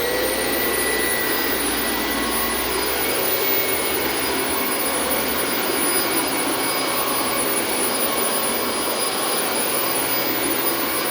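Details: Refurbished Dyson vacuum running on carpet: a steady, even roar with a high whistle on top, no surging or rattles; runs smoothly and cleans well.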